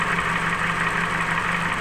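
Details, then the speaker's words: Nissan X-Trail T31 with CVT automatic filled with the wrong transmission oil, heard at the engine bay: steady but lumpy idle with an uneven, shaking beat; engine running rough and misfiring. "kita buka k mesin suaranya seperti itu ya teman-teman mesinnya juga sedikit kincang seperti ini goyang"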